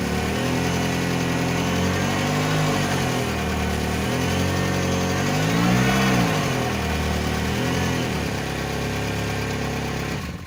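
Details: Ford Focus that clunks when turning, final test jacked up with the wheel spinning free after the wheel-side CV joint was replaced; engine revs up and settles smoothly with no clicking or knocking from the axle: healthy joint.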